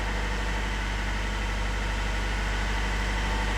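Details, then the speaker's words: Eurotorque diesel just started after work, held at a few revs just above 1000 rpm for about 15 seconds to purge air: loud steady low rumble with even firing and no stumble, no leaks found; normal, very quiet for this engine. "that might sound loud but trust us that is the quietest Euro torque engine I have heard in a long long time it is just glorious"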